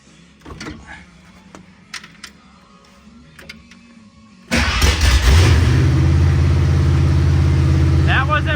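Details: 1969 Mercury Montego being revived, starter bumped after fixing a stripped bell housing bolt hole with a longer bolt (loose starter suspected); strong, even spin-up, starter turns the engine over fine.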